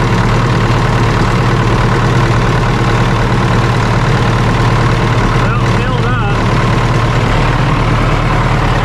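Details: John Deere 450C dozer diesel with a new gear-reduction starter: catches after cranking and settles into a steady low rumble, running evenly with faint unevenness from a little air in the fuel line.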